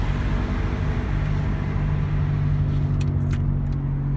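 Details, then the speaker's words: Daihatsu Terios 4x4 rolling in neutral on test drive: steady low hum/growl under road noise from the front; mechanic suspects front differential or driveshaft area, title points to wheel bearing, unconfirmed. "यह अब clear cut आवाज आ रही है य हमने गाड़ी न्यूट्रल कर द इस वक्त और इसके अंदर मुसलसल आवाज आ रही है"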